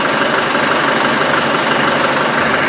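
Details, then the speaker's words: Land Rover 110 diesel after exhaust work, running without coolant: steady, even idle with a smooth unbroken rumble, no knocks or misses; the earlier exhaust back pressure is gone. "there's no back pressure"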